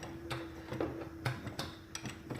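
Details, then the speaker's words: LQ4 V8-swapped Ranger at idle: sharp light ticking resembling lifter tick, actually an exhaust manifold leak at the joint; retightening bolts didn't stop it, owner suspects bent manifold. "It's coming from like right here. You can hear it a little bit. It sounds like a lifter tick, but it's actually exhaust leak."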